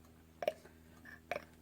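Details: Rebuilt fuel pump off a McCormick Deering 3 hp type M engine (kerosene or gasoline), new plunger, worked by hand: two crisp, even clicks about a second apart, pump strokes and seats cleanly.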